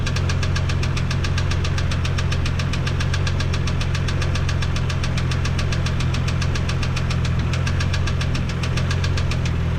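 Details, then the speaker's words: 1987 Toyota Supra MK3 Turbo Targa at idle: sharp regular tick-knock each revolution over deep hum, at times intermittent; first thought valve train, later confirmed from the block, owner suspects a spun bearing. "It's definitely not the valve train. It's definitely the block. So, don't know. Maybe a spun bearing."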